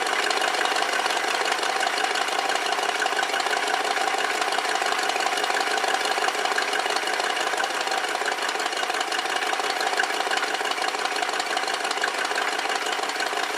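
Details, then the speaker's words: 1969 Lincoln Mark III V8 running after a tune-up and new coil, with timing at 10 degrees and a tach showing about 700 rpm idle, a hair fast. A steady, even, hiss-laden idle at about three beats a second with no misses or knocks. "and over here we're at about 700 on the idle so that's not too bad it's probably just a hair faster the factory wants it"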